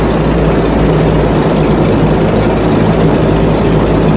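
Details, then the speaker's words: Ford GPA amphibious jeep (WWII, 1.6 tonnes) in water with propeller engaged; loud steady engine drone with a loose rattling churn underneath; propeller driveshaft very noisy because it is loose and shaking everywhere. "là, on entend donc l'arbre de transmission, en fait. donc qui est bruyant c'est aussi. très bruyant parce que ça branle de partout là-dedans."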